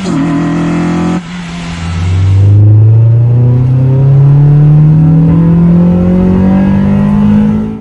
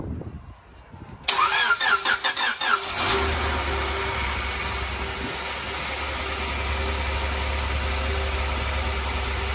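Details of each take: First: Honda Integra with completed LS-VTEC conversion on its first drive: under hard acceleration the engine note climbs and hardens through the revs; VTEC engages properly and pulls hard despite concern over the solenoid being wired to an auto harness shift solenoid. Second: Honda Integra at its first start after an LS-VTEC conversion and tune upload: it cranks and fires, then settles into a hissy, slightly wandering idle. A massive vacuum leak comes from a gap behind the throttle body.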